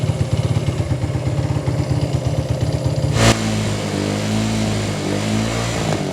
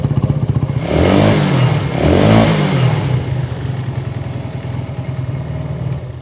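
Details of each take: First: 1980s Italjet Skipper 125cc motorbike: uneven, hunting idle with ragged missed beats, then sags and struggles toward stalling while ignition light stays on; fuel starvation from vacuum-locked tank with no cap vent. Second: 1980s Italjet Skipper 125cc motorbike after fix, tank cap off: single picks up cleanly through two quick blips, then settles to an even, steady idle; running normally.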